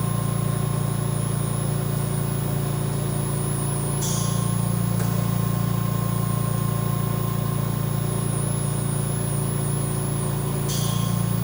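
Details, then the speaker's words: VMUS-DG1 ozone generator (double quartz corona cell) at about 50% output: constant, even high-pitched electrical buzz with no crackle. The pitch rises as output increases, and this is normal. "This high pitch of buzzing is completely normal and nothing to be worried about while using your ozone generator."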